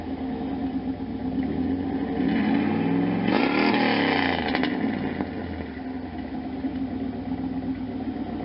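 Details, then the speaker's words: 1992 Camaro Z28 with a stock L98 350 V8 and a Flowmaster Super 10 loosely fitted unclamped, headers not yet installed: idle with a brief rev blip and raspy puffing where exhaust likely escapes at the loose muffler joint. "um definitely big enough probably get Eric scaping through here but at least we can kind of hear what it sounds"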